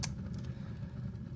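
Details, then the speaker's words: Jetmaster open fire just lit with damper plate fully open; steady even low roar with no pops or surging as the fire draws strongly up the open flue, healthy normal draught. "can hear it roaring. Don't be frightened of that. People get scared of that,"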